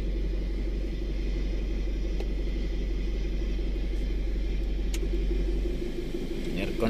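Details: 2011 Isuzu Alterra diesel after fixing a hard start caused by a broken camshaft position sensor wire, spliced, sensor itself fine, no codes: steady, even rumble at constant speed with no misses, stumbles or knocks.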